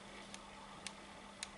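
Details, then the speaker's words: HP ProBook 6460b laptop fan, loud, varying with speed: quiet hiss, low hum and faint sharp ticks about twice a second as the fan impeller rubs its metal housing, not a bearing fault. "und schickt ja die propeller meistens raus und dann schleift ein gehäuse"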